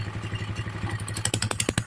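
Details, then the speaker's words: Engine after rebuild with new crankshaft and timing gear: even idle thump about eight beats a second, loud crackly exhaust, no mechanical knocking; engine quiet, noise only from the pipe. "Wala pong kaingay-ingay. Tahimik. Yan na. Tahimik na to mga idol."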